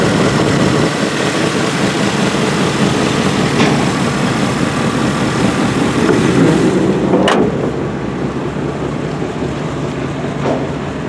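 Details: 1988 GMC 1500 pickup, 2WD automatic, with a worn-out 350 V8 that burns oil and smokes, idling normally. The loud, deep V8 burble through a throaty exhaust holds steady without dying.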